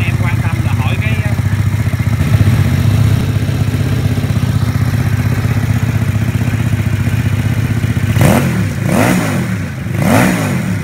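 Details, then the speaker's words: Homemade Vietnamese mini Ducati L-twin motorcycle, just fitted with exhaust, fuel tank, forks and wheels; plug lead reconnected after running on the auxiliary cylinder alone, both cylinders firing; steady, even idle beat, then three clean throttle blips; normal running. "Rồi, hai máy. Rồi cắm dây phin lại rồi, giờ mình nổ hai máy nè."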